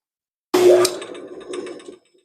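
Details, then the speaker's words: 1941 Craftsman jig saw running after teardown, re-tightening and refilling with oil: short, soft, even mechanical chatter with no knocking or grinding, a lot smoother than before the repair; saw now working normally. "Boy, that's a lot smoother than it was. I think we got a working saw now."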